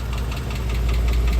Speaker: That is a tick from the followers. It's a lighter, tinier tick. And if you rev the engine up, it'll go, of course, faster with the engine RPM.